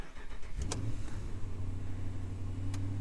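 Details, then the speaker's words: 2017 Ram 2500HD after replacing the TIPM to cure a parasitic battery drain: quick crank, then a steady, even low rumble with no stumble and no dash warnings; normal start. "there we go that's good news it does seem to be running fine and again i'm not seeing any other warnings coming from the dash here"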